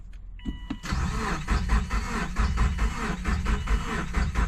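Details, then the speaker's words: Car that drove onto the trailer, now cranking with a dying jump box: starter churns with uneven compression pulses, never catches despite spark and fuel smell; spark plugs found covered in what appears to be coolant. "it sounds like it it has compression definitely has sparked I checked for spark and I know it has fuel cuz I can smell"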